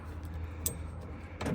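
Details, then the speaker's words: Hummer H2 rear liftgate lock actuator just replaced (part 15808595), tested after the old one had stuck: one short, firm clunk-buzz of about a fifth of a second on unlock. It strokes cleanly and moves the whole mechanism normally. "and that moves everything."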